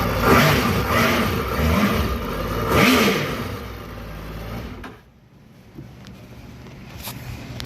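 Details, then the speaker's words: 2008 Yamaha VX1100 jet ski after reinstalling relays, throttle body, connectors and ECU: engine spins up cleanly in smooth blips, revs rise and fall evenly, then settles quiet; runs fine, likely an intermittent connection issue. "Let's start her up. Runs fine."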